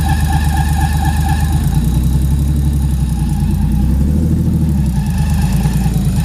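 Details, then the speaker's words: Freshly built 400hp RB25 turbo Nissan S13 on Power FC, just warmed up, first runs: steady low idle with a faint thin constant whistle-like squeal; source unknown, owners unsure if it is just warm-up. "everything seems to be fine in a slight squeal but we're not sure if it's the warmup"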